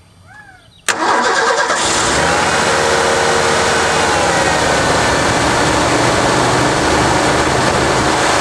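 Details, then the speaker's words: 1987 Ford F150 4x4 inline-six after distributor install and timing set, started by jumpering the solenoid, which proves solenoid and starter good: brief crank, instant catch, steady even idle with no misses or knocks; healthy start. "if it turns over and starts which it does then you know your solenoid is good and you know your starter is good so let's start it up"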